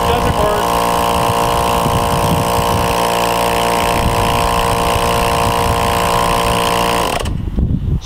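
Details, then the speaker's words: Roadside-found Porter-Cable air compressor with safety switch port capped; steady motor hum and pumping chatter, no knocks or grinding until shut off, pump builds pressure normally. "So if I plug it in, it turns on. So I cap off the safety switch. Now I can feel pressure."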